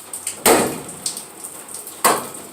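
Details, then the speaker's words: 1966 Chevrolet Impala door closing with two loud metallic clunks and sharp ticks between them, from a worn, out-of-round door hinge pin and bushing. "so you get rid of that nasty noise every time you close your door all right so uh well this is the noise that you that you will hear when you try to close your door"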